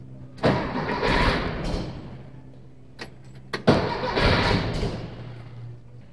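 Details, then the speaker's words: 1964 VW Beetle flat-four with a four-speed, unused for over three years: two short cranking bursts, starter churning but never catching; no start is blamed on a bad distributor cap or plug wires. "right i had to cut that it sort of made noise it still doesn't run"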